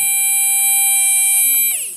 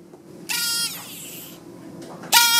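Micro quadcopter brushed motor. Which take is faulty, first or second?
second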